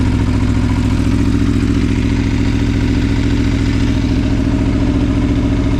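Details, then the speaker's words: Aprilia Tuono V4 idling after valve clearance service and fresh oil: smooth, even idle with steady low beat, no ticks or knocks; initial chain clatter gone once oil pressure built, no check engine light, no starting issues. "was a little bit of uh chain clatter initially but that went away when the oil pressure built up um yeah um no check engine light no no issues starting"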